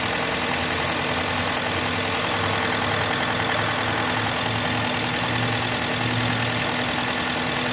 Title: Хендай санта фе 2011год 2.4 4GKE стук двигателя на горячую.